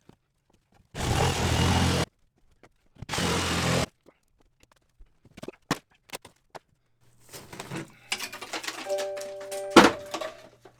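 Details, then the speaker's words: Two bursts of heavy hammering while demolishing sheetrock under stairs, then a soft chime of a few notes from the smoke alarm set off by demolition dust, then silenced; dust false alarm. "Smoke alarm silenced in the living room. Silenced. I guess I'm making dust, huh? Thinks it's smoke."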